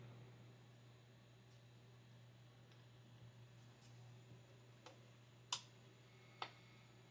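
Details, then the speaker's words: 1962 Victoreen CD V-700M civil defense Geiger counter with an OCD-P-108 probe, modified with an RCA connector and a small amplifier speaker; sparse random clicks about once a second over a faint hum; normal gamma background radiation. "And now that's normal gamma ray background radiation right now."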